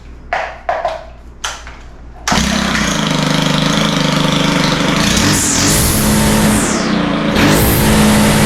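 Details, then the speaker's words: Stihl FS111R trimmer after broken clutch spring repair and high-speed needle opened a quarter turn: catches after pull-starts, steady buzz revving cleanly up and back; normal running. "yeah that sounds better so yeah uh I think we can call this one fixed"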